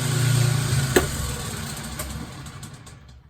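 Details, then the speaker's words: Kenmore 70 series washing machine at spin cycle with clothes loaded: low motor hum spins freely at the bottom of the agitator shaft then fades, drum and agitator not moving; broken motor coupling. "so this particular issue today is that it's trying to spin and I can hear the mechanism spinning at the bottom of the shaft here of the agitator but it is not spinning"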